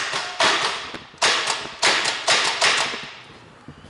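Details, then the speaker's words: 4WD without snorkel that ingested about 20 litres of water at 4000 rpm: five sharp separate clunks as starter is tried, no cranking rotation; engine locked solid, hydrolocked. "so you see solid that's it it's not going to turn over nothing's happening so whatever is happened in there is gone bang"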